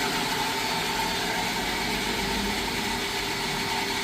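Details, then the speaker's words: Jetmatic-system water pump after repair, noisy before: smooth, even whir with a steady pitch and no grinding or rattle; pump now runs quietly and healthy. "So yun guys ah. Okay na siya no? Pino na umandar. Tahimik siya ngayon."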